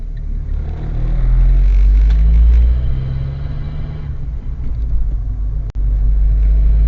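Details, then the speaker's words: Car on a mock driving test, uphill, after slowing without changing down a gear: a deep low drone and shudder at low revs, rattling and straining without picking up; the engine is labouring in too high a gear. "He slows down, moves over well, but he forgets to down change the gear, and as you can hear, the car's rattling away. Because of it being on an uphill, it makes it even more noticeable."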